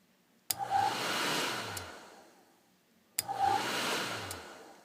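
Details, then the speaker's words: Aprilaire model 50 sensing electronic relay on bench test at about 23 volts: sharp relay clicks switch a blower-type load on, then a second click cuts it off and it winds down; normal engage and disengage. "know if you guys can hear that clicking but engage it clicks it might disengage it it turns it off"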